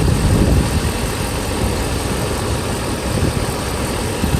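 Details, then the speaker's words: Mercedes S500 V8 at operating temperature after timing chain and guide replacement: smooth, even idle with a steady low beat and no misses, residual oil smoking; the engine runs healthy. "I would do the seafoam on this but destroy because the engine itself it runs really right it's like you can hear that it's not missing a beat very very steady it's just a rocket"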